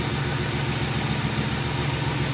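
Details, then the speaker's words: Mercury Grand Marquis 4.6 V8 idling with the coil with the finicky connector unplugged: rhythmic, lumpy low pulse as one dead cylinder makes the idle stumble; single-cylinder misfire. "now I'll unplug one of these coils and you'll be able to see what I'm talking about here all right I'm just going to unplug the one with the uh finicky connector and let's see what that does"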